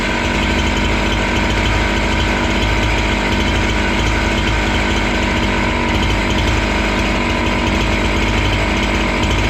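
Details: Husqvarna 268 two-stroke chainsaw, which stalled once warm and would not restart, cutting after air intake check: holds a steady, even high scream under load with no bogging, surging or stalling. Healthy.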